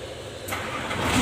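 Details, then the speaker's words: Hino Lohan diesel truck, previously heavy starter cranking in the morning or after long parking, after cleaning the dirty battery terminal clamps and tightening the clamp bolts: a short crank, then the engine catches at once and runs steadily; a normal start. "jadi untuk mobil dia langsung mau hidup Mas Bro ya"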